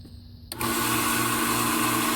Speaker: comes on, runs like it's supposed to, little test run.